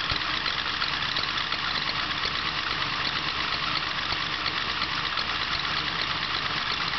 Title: 383 LSX Piston Slap and Squeak